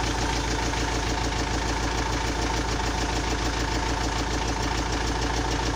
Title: Непонятный стук в двигателе